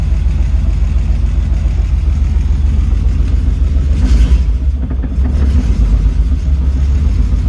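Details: BMW E30 interference engine first start after timing belt, water pump and thermostat replacement; deep, steady rumble settling into an even idle with no clatter or tapping, so the valve timing is right.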